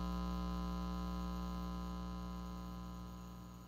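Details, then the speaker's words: Ampeg Portaflex B-15-N bass amp after major repair and rewiring, volume near full with no input, microphone against the speaker: steady low buzzy mains hum that fades as the hum balance control is turned toward centre and is then set off null. "I have cranked up the volume nothing connected to it nuts so I could do the home control I will turn it all the way to one side so we could hear it right there hum as I turn it towards the middle"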